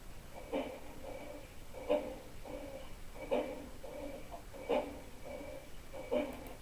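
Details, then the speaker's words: Consul CWL16 washing machine, fairly new, noisy during wash agitation: heavy thumps about every 1.5 seconds with hollow clatter between them, something knocking in the drive. "então pessoal viu esse barulho parece que a bateria de escola de samba né"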